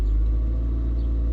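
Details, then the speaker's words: Toyota Previa (new muffler fitted) in park after a rev: a deep, steady rumble that stays at about 1400 rpm high idle and returns to normal idle in gear. A P0171 check engine light is present; cause unconfirmed, and idle adjustment may be needed. "And see, the vehicle likes to high idle for some reason. You hear that? That's something that it likes to do once you rev it up, is sort of just maintain a high idle."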